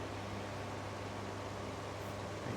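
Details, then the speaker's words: Two Indola 10-inch desk fans, 1960s and 1970s, compared running: soft steady airy whoosh over a faint low motor hum, no rattles or ticking; one is far louder, the other basically silent; normal running. "in terms of noise level it's very obvious this one is way louder this one's basically silent it's one of the quietest fans"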